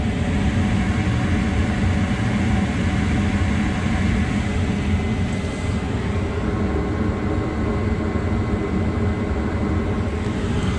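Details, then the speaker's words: Mana 80 SV Air Command furnace that wouldn't start (bugs, stuck exhaust fan), after cleaning, with jumper wires fitted: burners lit all the way across and the flame proven. Smooth, constant gas roar with no popping or surging, normal running. "Burner's light, lit all the way across. The flame sensor sensed it. It should stay going."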